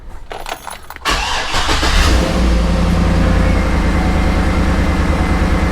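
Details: 2014 GMC Yukon, after replacing the rear HVAC and radio controls to cure a years-long faint high-pitched whining feedback noise: quick crank catches and settles into a steady, even idle with no whine over it; normal start and idle, noise gone.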